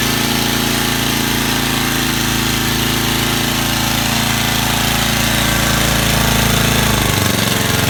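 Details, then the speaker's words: Vintage Cooper Klipper reel mower with an old points-ignition flathead Briggs, just started on choke. Loud, even single-cylinder clatter holds a steady pace with no misses or stumbles; runs healthy after years of storage. "what can i say you cannot beat these old flathead briggs as i don't care what you say"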